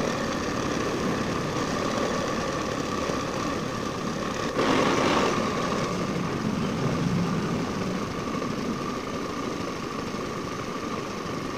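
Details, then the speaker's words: Old Honda Scoopy FI scooter on centre stand, throttle body before service, idle screw being adjusted: buzzy idle drone swelling then sagging, never settling low; idle stays high and unstable, throttle body dirty with broken O-ring. "Ternyata bagian langsamnya ini nggak mau turun ya, gede terus. Ini kalau nggak standar 2 pasti bakalan jalan, tanpa digas pun bakalan jalan."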